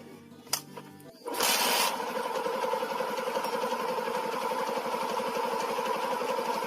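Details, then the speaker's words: Yamaha Jupiter MX (first generation) after reassembly to cure a rough noise at the clutch housing: engine settles into an even, smoother idle with no knocks or rattles, though the clutch-housing sound remains the same when the clutch lever is pulled. "Nah kita dengar ya suara mesinnya masih menjadi lebih halus dari awal-awalnya"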